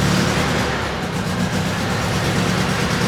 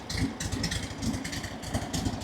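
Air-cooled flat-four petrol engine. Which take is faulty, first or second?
second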